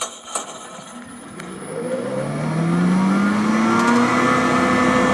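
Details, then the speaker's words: Fully rebuilt CS Bell No. 10 hammermill with new knives, a 2 hp 3-phase motor and a WEG VFD: the hum climbs smoothly as the drive ramps up, then settles into a steady, even whir with no knocks. Healthy startup; maximum is set at 3,800 RPM. "See, the drive starts right up, comes right to life."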